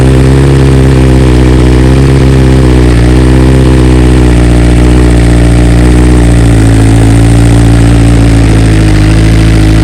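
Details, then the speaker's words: 2020 BMW S1000RR, warm engine, just back from dealer after two coils replaced under warranty and software updated to newest stock version: steady even idle with smooth low burble, no misses or ticks; normal warm idle. "Well, it's not gonna be a cold start because the bike's warm, but we'll just show you kind of how it sounds."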